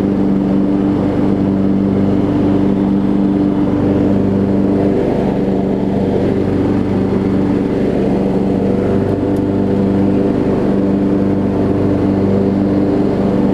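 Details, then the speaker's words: Over-20-year-old Craftsman riding mower, Kohler Command engine, after the misfitted deck belt that locked the engine was refitted correctly: steady, even note holding one pitch with no misses, knocks or hunting; it idles down smoothly as it should; normal idle. "even idles down like it needs to it's fantastic these kohler commands are some tough engines"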